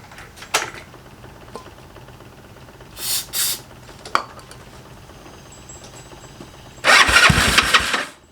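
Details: GY6 engine with a 171cc big bore kit in a Honda Ruckus, fresh build with assembly lube, after the reversed stator-to-CDI wires were corrected: brief cranking bursts, then it catches and runs with a buzzy, steady single-cylinder beat. It starts and idles normally.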